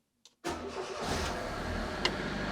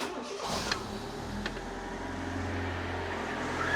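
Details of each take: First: Fiat Panda 4x4 1.1 FIRE engine, first start after cambelt change: it catches at once, then a constant dry scraping rasp rides over the idle as a bolt washer rubs the crankshaft pulley. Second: Fiat Panda 4x4 1.1 FIRE engine, first start after cambelt change: starts quickly, then settles into an even run with revs climbing smoothly and no knocks or rattles; sounds healthy.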